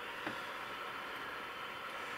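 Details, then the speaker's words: Ferranti MPT1089 mains/battery transistor radio, circa 1962-63, first power-up before disassembly, about 30 mA draw: flat steady hiss only, no stations, no response to wave change; suspects no local oscillator, converter not working. "so just noise no local oscillator it's probably what's wrong with it there's certainly noise there no sensitivity to the wave change so perhaps the converter's not working"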